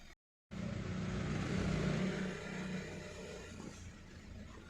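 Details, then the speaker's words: Hyundai Verna Fluidic 1.6 L petrol, after misfire repair: exhaust now normal with no popping and no silencer vibration; engine rises gently and settles with an even, steady note, running smoothly. "अभी पटाखे बिल्कुल नहीं है। एकदम normal आवाज है और silencer में भी वाइब्रेशन बिल्कुल नहीं है।"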